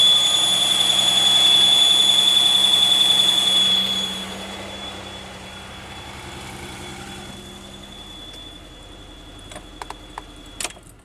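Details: 2001 Pontiac Aztek GT after reassembly, belts back on after checking a sensor behind the harmonic balancer; thin steady high whistle over the engine holds pitch as it winds down; source still not found.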